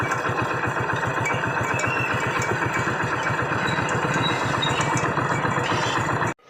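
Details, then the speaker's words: Hero Splendor Pro idling: fast, regular tapping about four a second from the magneto side until shutoff; plate on the magneto side found broken, bike had been ridden despite the noise. "जैसे कि दोस्तों आपने सुना इसके magnet side से आवाज आ रहा है और हमें लगता है दोस्तों इसके मैग्नेट साइड में ही कुछ प्रॉब्लम हो सकता है करेंगे"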